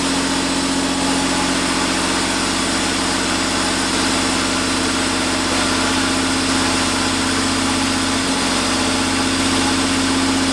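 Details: 1990 Chevrolet Cavalier Z24 first start after an 18-month restoration, temporary intake and wiring: even, steady idle with a smooth low rumble, no knocks, misses or hunting; oil pressure good, engine healthy.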